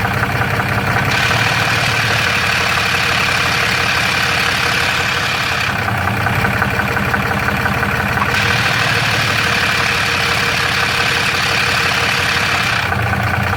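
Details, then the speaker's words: Third-gen Ram 6.7L Cummins with Jasper transmission, fairly new torque converter, converter bolts checked tight: diesel idle with steady uneven metallic rattle from the bell housing; cracked flex plate or torque converter suspected, unconfirmed. "third gen ram with the six seven cummins i got some rattling noise uh it seems to be coming out of the bell housing"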